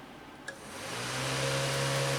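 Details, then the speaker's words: 2000 Honda Civic LX (rough running, P0117, overheated), key on, fan relay terminals jumped with a paper clip: click then steady whirring hum at even pitch; radiator fan, relay, power and ground working normally. "And there you go. Hopefully you can hear that fan is coming on."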